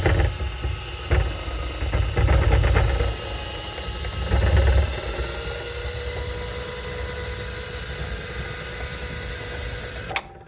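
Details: Running machine: harsh, gravelly, loud grinding rumbles underneath, uneven and rough; something badly worn, exact part unclear, and the noise is getting worse.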